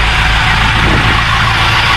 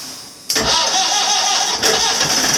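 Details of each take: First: Marine Perkins 4.236 diesel (1984/85) from a boat sunk 3 months in salt water, now running after a start with start gas. Steady, even clatter with a deep low rumble and no knocks or stumbles; it runs smoothly. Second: 1984/85 Marine Perkins 4.236 diesel after three months in salt water, no start until start gas given; rhythmic cranking chuffs about three a second firm up as engine catches, then drops away.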